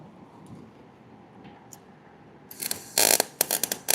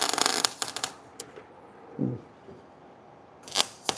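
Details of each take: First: 110 V gas MIG welder set on D: choppy, sputtering crackle bursts with no steady sizzle, unstable arc; welder suspects wire feeding too fast or a wrong setting. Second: See, that sounds good to Hey, that that sounded way better to me.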